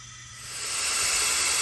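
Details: 6.0 Powerstroke diesel with a hot crank-no-start, under an air test of the high-pressure oil system with the valve cover off: a steady sharp hiss of air escaping past an upper injector o-ring on the oil rail.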